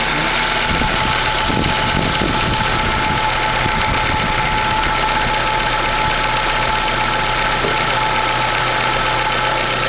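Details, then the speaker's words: Chevrolet Classic 2010/2011 at idle with a constant whirring rattle that disappears when the clutch pedal is pressed and returns when released. The clutch release bearing was already replaced and the noise persists; cause unknown. "Quando eu aperto o pé da embreagem, o barulho some. Quando eu solto, ele volta. Já foi trocado o rolamento de embreagem, e esse barulho continua."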